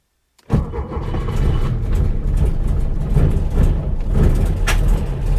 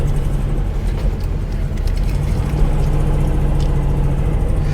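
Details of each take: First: Porsche 912 starting on a cold day in neutral, after replacing points, condenser, cap, rotor, HT leads and plugs and fitting electronic ignition: cranks and catches with lumpy firing and sharp exhaust pops; backfiring on start-up. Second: Porsche 912 air-cooled flat-four, cold day, after replacing points with electronic ignition; backfired at first start, now steady even beetle-like chatter with no misses, started much easier, running smoothly.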